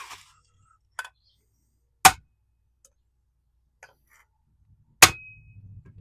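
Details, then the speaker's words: 1969 Honda CB350 cylinder head, valves tapped with a hammer to check for seizure: sharp taps a second or more apart each ring with a bright ping, not a dull thud; all valves free. "They're all good. Now, if they were seized, you wouldn't quite hear that ping, and you wouldn't really feel it in the handle as it goes down."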